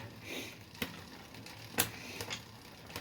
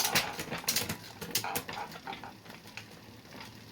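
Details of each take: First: Bicycle rear derailleur with trigger shifter: wrong cable tension makes the chain want to jump cogs, giving irregular sharp clicks while pedalling; fix by adjusting the barrel adjuster. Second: Bicycle after rear derailleur adjustment and limit-screw setting: crisp metallic clicks and light chain whirring as gears shift cleanly up and down, with no rattling or jumping.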